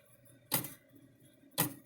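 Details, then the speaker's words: Weak, stretched timing wheel return spring in an old AgWay electric fence controller: two sharp clicks about a second apart as the wheel swings all the way around instead of bouncing back, with a softer pop from hitting the back side. "that spring is all stretched out a little bit so instead of bouncing so far and swinging back and hitting it swings all the way around and basically the spring is not working"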